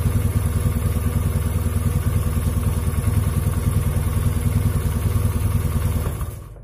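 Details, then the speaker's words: Honda Beat carbureted scooter after fitting a new NGK spark plug to fix a weak red spark: starts at once and idles steadily with a slightly coarse, rapid putter, normal for this engine. "langsung nyala enak tapi ya itu tadi suaranya lumayan kasar ya hehehe biasa Beat karbu"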